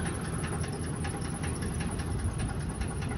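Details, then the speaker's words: 2012 Ford work van reversing slowly: deep engine rumble with a faint, fairly regular engine knock; noise doesn't change between reverse and forward, cause unknown. "you can hear that it um has a knock on it on the uh engine that noise that you are hearing is uh engine noise"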